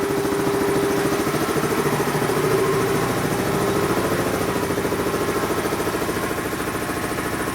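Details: Dayton 240V 7-1/2hp shop air compressor, after motor, reed and capacitor repair, switched on via the pressure-switch lever after spring readjustment: steady even pumping thump about three and a half beats a second over smooth motor hum; running normally, cut-in around 132 psi.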